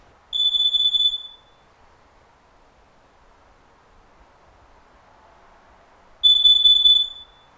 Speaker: carbon monoxide alarms when activated also have a specific sound